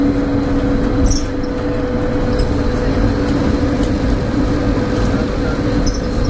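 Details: Stagecoach Cumbria Optare Solo bus 47020 (PO51 WLK) in service between Whitehaven and Workington, May 2015: a steady, droning mid-pitch hum rides over the engine and road rumble throughout; a loud humming noise with its source unknown.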